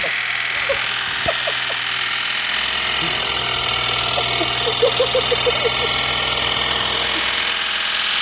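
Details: BMW N52 69k-mile junkyard engine, first start after swap, revs held near 3,000 rpm to bleed the lifters: busy light tapping over a whine at steady high speed; lifters still ticking.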